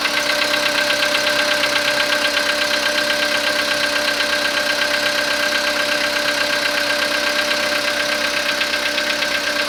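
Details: Skoda Rapid 2014, CFNA 1.6 petrol, 27,630 km, cold start after overnight parking at −0.5 °C: steady even ticking knock about two per second over busy engine note; cause not yet pinned down.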